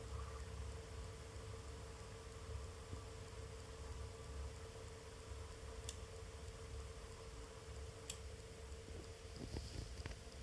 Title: Arctic P14 Max rattling sound at low RPM (~ 5%)